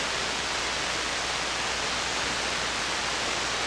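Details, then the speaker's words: SP-600 communications receiver with rebuilt RF deck just installed, first power-up at reduced 92 V supply: flat, steady rushing hiss with no signals or voices; seems to work but no stations received. "It's very hissy. Well, it seems like it's working. Maybe there's no signals. Wow, that's really no signal."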